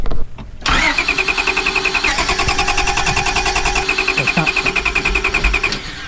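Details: 1998 Honda Accord V6 crank-no-start: starter cranks at a steady even pulse for about five seconds but the engine never catches; spark plug wires and firing order being checked.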